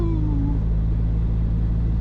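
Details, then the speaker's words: Volvo driven to the workshop with a broken turbo: deep steady engine rumble with a falling whistle under throttle, ghost-train sound, idle not smoking; failed turbocharger, later replaced. "i got one of those whistle tips in it the whistles got woo yeah that don't sound healthy"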